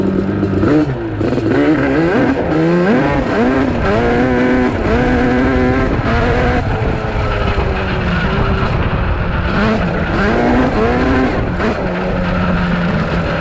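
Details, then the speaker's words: Yamaha Banshee two-stroke twin (472 or 421 build) on a flyby: revs waver and stumble instead of running clean; the owner suspects it is lean, possibly from jetting or not being warmed up enough (unconfirmed). "he dude I think it's lean think so I don't know if you can hear it you hear it kind of like doing that almost"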